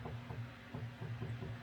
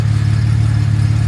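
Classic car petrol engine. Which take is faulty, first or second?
second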